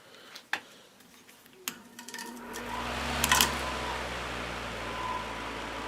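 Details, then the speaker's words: Lakewood HV12 electric fan, just serviced, clicks and scrapes at startup then settles to a rough airy whir; something suspected rubbing the rotor, bearings believed fine, earlier stalled on low. "you could probably hear that uh clicking noise when I first started it foreign so I don't know what that is"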